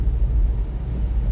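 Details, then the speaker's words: Mk1 SEAT Leon Cupra R, engine still cold, driving at night after misfire fix involving ignition coil: steady even drone with no stumble or judder; rough running gone. "rough running has gone. I haven't got any of that nasty juddering. So I think it's fair to say this fix has been a success"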